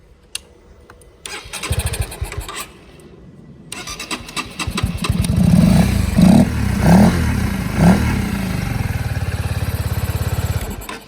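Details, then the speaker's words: 2021 Honda CB125R fitted with a 1000-mile second-hand engine, no coolant yet, fuel-injected bike sitting unused, spark confirmed, petrol poured at the intake to start: a few short cranking bursts, catches around eight seconds, settles into a quick even idle. "bike starts, and I won't run it long because I haven't yet put in the coolant."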